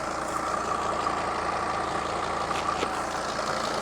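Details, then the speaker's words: Mercedes Sprinter van with 602 diesel, just started after sitting abandoned two years, full tank, oil light out: smooth, even idle with steady light clatter, no knocks, misses or hunting; normal diesel idle. "You can't knock these things, can you? Listen to that purr. It's my favorite engine."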